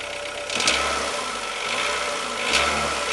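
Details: 2007 Renault Logan 1.6 8-valve engine, driven about 20,000 km with the knock: hard, fast metallic tapping over the engine as it revs up twice, louder with revs; engine knock, cause unknown.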